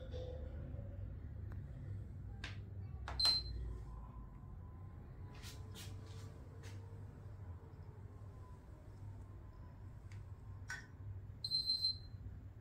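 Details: PS3 console that won't turn on: single high beep, then quick string of three beeps with no running hum; fails to boot.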